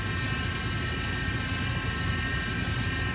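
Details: Splendide stackable dryer running with a steady, high, even whine over the drum rumble, a noise it had never made before; broken drive motor, diagnosed and replaced.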